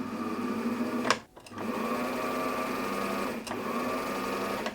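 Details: Elna Star Supermatic/Lotus sewing machine after foot controller common-fault fix with soldering: smooth steady motor hum starting and stopping cleanly with the pedal, no crackle or dropout; motor runs normally.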